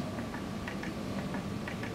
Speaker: So what we're going to do is we're going to press that one. And what you'll hear inside is a small clicking